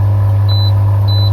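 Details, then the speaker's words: Lay-Z-Spa hot tub pump after cheap DIY fix of E02 pump error with Amazon part, water just below minimum line: steady low even hum, no clicking as before, two short control-panel beeps; pump running normally. "It appears to be spinning quite nicely. No clicking as previously. I think we've had a result."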